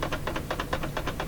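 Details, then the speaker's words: Stanton STR8-80 professional turntable: the tone arm clip doesn't hold, leaving the arm free; rapid even tapping rattle about five per second from play in the tone arm, which needs adjustment. "Something wrong there. There's play in it here. So it needs some adjustment for sure now."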